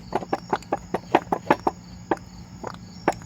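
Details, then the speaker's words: 2005 Chevrolet Silverado, Rough Country lift install, original lower control arm: sharp uneven clacks, several per second, as the lower ball joint is worked by hand; ball joint worn out. "Yeah, this thing is That thing was shot. That thing was shot."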